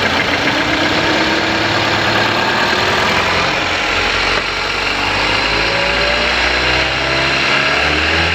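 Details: Engine idles and blips with an uneven, stumbling beat and knock under revs; number one cylinder not working, throttle valve not opening, jerking; single-cylinder misfire.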